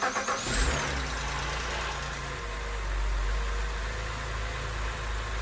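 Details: BMW E90 3 Series, N52 engine, after starter replacement for a no-start with good battery: quick crank and catch, then smooth even idle with low steady hum and no stumbles; starter and engine sound healthy.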